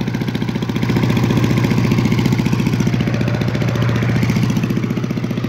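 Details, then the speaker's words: Simplicity 5-25 yard vacuum (5hp 206cc Briggs horizontal, freshly tuned up) running on low throttle with the 20-foot hose hooked up; fast, even single-cylinder beat with a steady whoosh of suction, healthy normal running. "it's got a nice long handle you can even hear the suction already and that's on the low"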